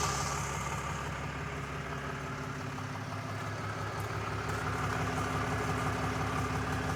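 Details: 2022 RAM 3500 at idle after two hours of driving, hot: a faint regular tick at about three per second over the engine hum; owner unsure whether this is normal, cause unclear.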